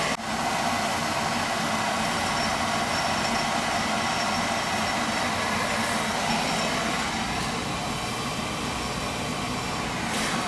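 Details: House boiler after replacing the circulator, expansion tank and leaking relief valve. The burner and pump give a steady, even rumble with no knocking, banging or gurgling. Normal running.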